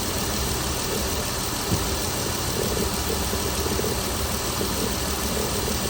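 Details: Chrysler Pentastar 3.6L V6 in a 2017 Dodge Ram 1500 regular cab (labelled 2016), idling after a start with massive cranking noise; busy, uneven clatter over the steady run, abnormal idle noise, cause not pinned down.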